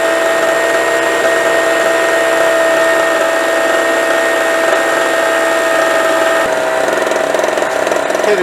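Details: Harbor Freight Storm Cat 2-cycle generator (700/900 W), first start on 50:1 mix, new, burning off excess oil: steady buzzing drone at constant pitch, even firing, no surging or misses; healthy, unloaded.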